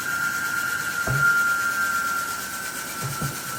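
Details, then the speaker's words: Javelin 16-4 portable 4-inch auger with high torque kit at full speed as about 100 lb of fine cakey dense powder goes in; a steady mid-pitched motor hum holds speed with a couple of soft thumps, normal under load. "Now we are going to introduce the product. Again, this is approximately 100 pounds."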